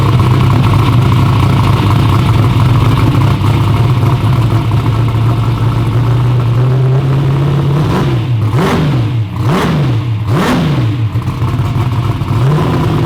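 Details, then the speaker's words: V8 first fire-up after fixing two swapped plug wires that caused missing, popping and backfiring: even lumpy idle, then three clean throttle blips rising and falling smoothly, no pops or misses; runs healthy. "But it runs. You And guys want to hear it? Yeah, it sounds very good too."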